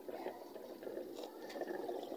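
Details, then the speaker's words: Automatic washing machine refilling for rinse after draining and spinning: steady splashing rush of water pouring into the tub, no knocks or grinding. Normal water fill. "Then kapag na naalis na yung tubig sa mga damit o napiga na, kakagaw ulit siya ng tubig para magbanlaw."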